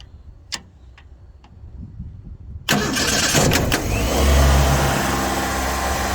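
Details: 1989 Ford Fox body 2.3L four-cylinder convertible, 5-speed, after starter replaced for no-start/no-crank: quiet clicks, then engine catches with quick flare and settles to even idle, no misses or knocks; normal start and idle.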